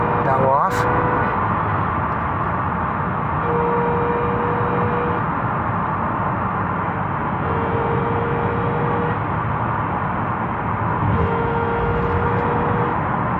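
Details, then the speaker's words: 2006 Subaru Outback whose front differential fluid was never changed (only several cups drained): a thin whine over road rumble when lifting off the gas. Gear whine from old fluid or worn front transaxle gears; refilled with 80W-90 instead of 75W-90, now slightly quieter. "that noise is called gearwine and most likely it's in the front transaxle and the result of either old fluid or worn teeth in the gears in the transaxle"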